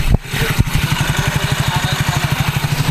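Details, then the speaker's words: Soul GT automatic scooter that had a "thak-thak" clatter from the rear gearbox when throttled, after repair, with the microphone aimed at the drive side. An even low putter with no tapping or clatter: normal idle. "Sudah gak ada suara kayak tadi itu udah enggak ada ya jadi Insyaallah udah aman ini putarannya"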